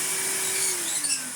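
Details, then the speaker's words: Numatic HVR200T-2 Henry Turbo vacuum after mains cable repair and new paper bag: clean high-pitched motor whine with steady airflow hiss, pitch easing off at the end, no rattles; motor healthy. "Instantly sounds much better."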